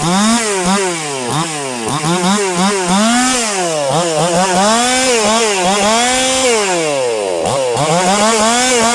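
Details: Brand-new chainsaw that would not start out of the box, now running after the fix: it revs up and down cleanly through cuts, pitch rising and falling smoothly with throttle, running strong and even.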